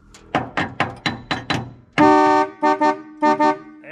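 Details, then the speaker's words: Horns on a 1959 Oldsmobile Dynamic 88 barn find revived after sitting for years, charging at 14.4 V: loud, rich two-tone blare, one long blast then two quick double honks at steady pitch; both horns working, normal horn operation. "it is both horns oh man that's a that's a man's man horn wow that is the best Factory horn I think I've ever heard on any vehicle"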